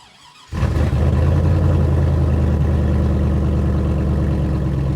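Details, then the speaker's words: 2002 GMC Sierra after a Truck Norris NSR cam swap, on the stock tune with stock manifolds and cats: the V8 fires into a lumpy, loping, uneven idle, running super rich and rough until it is tuned. "I mean, yes, this thing does sound cool, but it is super rich, and this is not anywhere close to what it should sound like while it's actually running."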